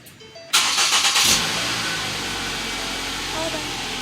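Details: Ford Focus that was towed in because it started then shut off immediately due to a locked-up AC compressor; after the AC compressor work it cranks quickly, catches cleanly and settles into a smooth, steady idle with no misses or odd noises: normal start and idle.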